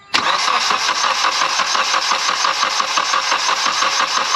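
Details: Mitsubishi Evo X with suspected blown turbo (shaft play), cranking during compression test: even starter cranking just under three beats a second with steady matched compression pulses; readings about 110 to 115, engine judged healthy.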